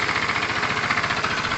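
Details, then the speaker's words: Kawasaki motorcycle with a replacement carburettor, idling after the air-fuel screw was set half a turn out: a quick, even pulsing idle with a steady rhythm and no misses or hunting. Mixture judged at its optimum. "so my guess is that it's at its kind of optimum performance there"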